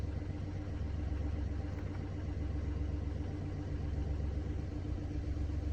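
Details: Mini Cooper D three-cylinder diesel idling with low uneven rumble and fast rattling pulse about four beats a second; mechanic diagnosed broken, worn dual mass flywheel carrying clutch springs; juddering after clutch lift reported.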